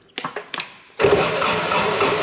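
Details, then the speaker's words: Woodmizer LT70 sawmill diesel, sat for years. Lift pump feed line is off and the fuel system was primed with key on. A few slow uneven cranking pulses, then a steady rush, but no start; little fuel comes out. Weak lift pump suspected of starving it of fuel. "all right Kevin's got the feed off the lift pump there I want to try to crank it and see if it got fuel coming out you ready yep little bit little bit not impressive not yet"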